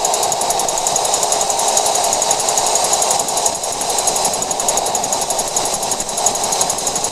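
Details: 2014 Jeep JK (Wrangler) high-pitched clicking above 50 mph, fast and slightly uneven, several per second over road roar; persists after replacing both rear axles and checking differential gears, source unknown, driveline suspected.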